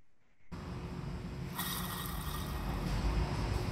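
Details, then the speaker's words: 2008 Mercedes Sprinter rear axle bearing spun by hand off the vehicle: rough, gritty rumble with constant grind, an exceptionally badly worn, rusty bearing; replaced with a used axle and bearing. "that, that is a sound of an exceptionally badly worn bearing."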